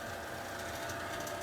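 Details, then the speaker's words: Bryant furnace/AC unit, doors off and safety switch taped: worn blower motor gives a steady humming drone with faint even chatter over the airflow; motor being replaced. "As you can see, there's a lot of noise coming from back there. In a few minutes here, this thing will basically overheat and shut down, and I'll show you the sound it makes."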